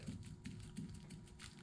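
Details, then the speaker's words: 2007 Shelby GT500 driveshaft slip joint, removed during clutch replacement, rocked by hand: faint dull clicks about three times a second from free play in the splines; suspected clearance issue, not wear, driveshaft replaced. "almost like the shaft is oblong hope you guys can hear that you can't really see it but like well yeah you can see it if you look real close definely not ideal right there so that play on either side would uh definitely be what I was fitting"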